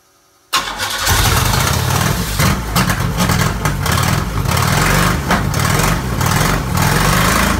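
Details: McLaren M6GT replica with a GM 3.8L supercharged V6 from a Bonneville SSEI, after a missing 12 V feed wire was fixed and the fuel pump reattached: the starter cranks briefly, then the engine catches cleanly into a steady, even idle.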